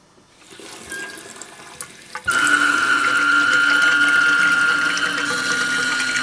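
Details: Faucet (mixer tap) with the water turned on: a loud, steady high whistle starts and holds while the tap runs; faucet whistling.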